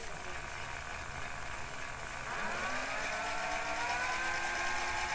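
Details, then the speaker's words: 1984 JVC HR-D725 VHS Hi-Fi VCR, not yet greased except a little silicone grease on the worm gear: small motor whirs under strain, pitch slowly rising, as the tape loading mechanism labours on dry grease. "A little laboring there but I expect that. I still haven't greased it."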